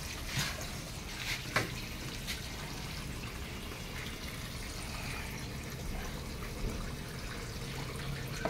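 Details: American Home automatic washing machine after control board replacement, filling at low water level from a weak tap: faint steady trickle into the tub, no motor or pump noise; slow but normal fill.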